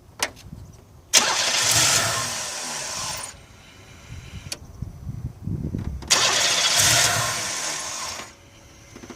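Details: 1989 Buick Century 3.3L cranks and catches twice, each time dying after about two seconds. Crank sensor, fuel pump, filter, relay, ignition module, plugs, wires and computer were already replaced; one faulty fuel injector caused the start-then-stall.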